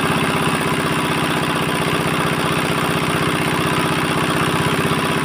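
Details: 4-hp Chinese single-cylinder diesel engine after fuel pump plunger installation and nozzle pressure setting: even steady thumping at constant speed, no misses or knocks; normal running.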